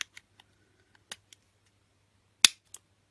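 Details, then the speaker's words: Finsecur Nemo C conventional manual fire alarm call point after spring/contact repositioned past stop: several light clicks with one crisp snap on reset; mechanism now latches properly, repaired. "Petit clic quand je réarme. Vous l'entendez? Tout à l'heure on n'entendait pas bien."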